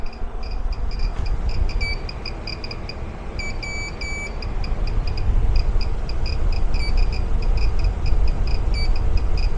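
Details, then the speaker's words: REDODO 2000W 12.8V pure sine inverter at about 1040 W output (1132 W in): sharp high chirps in irregular clusters over steady cooling-fan rush; alarm under load, battery 12.9 V not low, cause unknown. "and this thing is showing 1040 Watts coming out something happened it's cry it's screaming over here"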